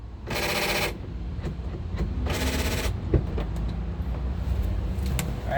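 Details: 2008 Honda CR-V front door after replacing the non-working lock actuator as a whole latch assembly: two short buzzing bursts about two seconds apart, each stopping cleanly, as it locks and unlocks; normal actuator operation.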